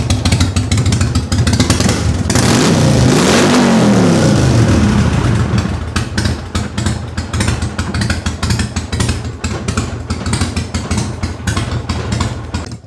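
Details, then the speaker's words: Harley-Davidson Sportster with a big cam, just started after repair: a quick blip of revs, then a choppy, loping V-twin idle dropping off the high idle into a steady, even rhythm, idling where it should. "This is probably one of the purest sounding smores out there. This thing when we get it down off the high idle, it sounds nasty."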